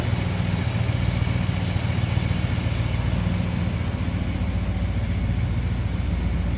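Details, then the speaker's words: 1958 Chevrolet Impala 2-door hardtop V8 with A/C converted from R12 to R134a: steady, even low rumble at idle with no misses, knocks or ticks; it runs smooth and sounds healthy. "That baby's running smooth."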